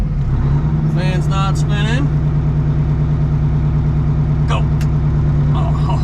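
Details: 1980 Peterbilt 359 Detroit diesel running after fan fix: heavy steady low drone with even beat and brief air hiss; runs smooth and healthy.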